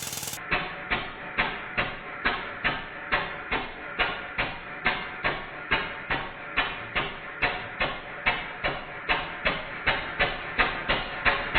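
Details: Stuart No. 4 steam engine, rebuild finished with cylinder drains fitted, running on compressed air on the bench with soundboard rattle cancelled: slow, even exhaust chuffs about seventy a minute with a light knock each stroke; runs smoothly.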